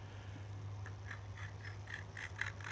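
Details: Motorized bike engine crank bearing turned by hand gives gritty, rhythmic scraping about four times a second; races likely damaged by debris off the piston or ring, bearing totally dead.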